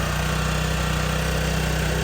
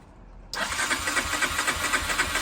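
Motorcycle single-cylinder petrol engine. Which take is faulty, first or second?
second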